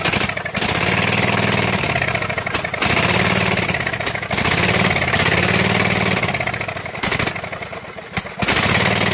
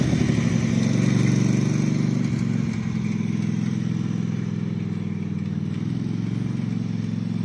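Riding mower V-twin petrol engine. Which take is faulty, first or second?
first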